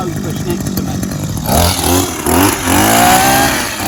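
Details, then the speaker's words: 2004 Ryobi two-stroke hedge trimmer after carburettor clean, new diaphragm, gasket and fuel hoses, engine service and greased blade gearbox; buzzes up from a cold start, revving and settling with a smooth even note, running properly after repair. "i greased the gearbox for the blades and everything should be good now"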